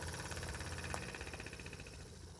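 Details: Jensen #5 steam engine after fixing steam blow-by by seating the oscillating cylinder firmly against the steam chest: even, regular chuffing with no hiss between strokes, now pulling both directions; normal running, steam tight.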